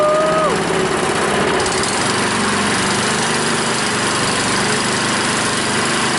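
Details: Honda small engine on a water pump after clearing a clogged carburetor float-bowl jet that caused the no-start (fuel shut-off valve still leaks): loud, steady, even run with no stumbling or hunting; normal.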